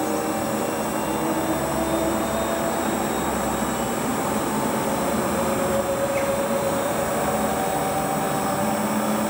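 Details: Hotpoint Ultima WT960 washing machine (7kg) test spin after repair with a brand new replacement drive belt; steady, even high-speed spin with smooth hum, no knocking, scraping or belt slap; normal spin cycle.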